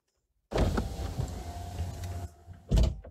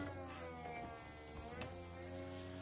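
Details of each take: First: BMW 1 Series E88 convertible after roof fabric replacement, during a function check. Windows lower and the roof rises; the motor whirs and groans fairly loudly on the delicate stage, then a firm thunk as the lid closes. Roof and windows now operate normally. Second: BMW 1 Series E88 convertible bought used: opening the soft top, the roof hydraulic pump gives a dull, steady, strained low groan; the roof then stops and stays stuck partway, possibly needing pump replacement.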